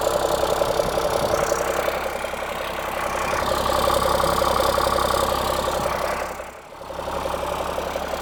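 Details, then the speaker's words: Cummins-engined Land Rover 130 diesel idling just after start, following repair of coolant leaks into the oil galleries; oil warming up. Steady even clatter with no knocks or misses; good oil pressure, sounds pretty healthy. "Still sounds pretty healthy. So I'm just going to let it idle for a while now, let that oil get warmed up,"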